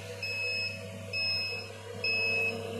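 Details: Homemade egg incubator with automatic tray turning and three hatching trays: repeating high beep, about half a second on and off, over a steady fan hum; low-humidity alarm because it was opened from outside.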